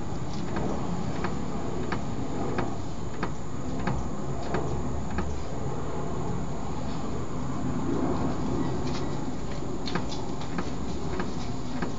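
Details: Front end driving over the road with low rumble, faint scattered knocks and one sharp loud clunk, still present after a rack and pinion repair kit overhaul; tie rods, CV joints, shock mounts, shocks and ball joints all checked fine, cause unknown.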